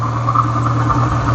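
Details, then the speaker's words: Renault Clio 182 petrol, about 139,000 miles, hesitating and possibly misfiring, needing a service: idles with a deep phasing drone that slowly swells and fades roughly, sounding unhealthy when shut off. "that's the the Deep phasing noise you can hear if I turn that off so that it doesn't blow itself up oh that sounded not healthy"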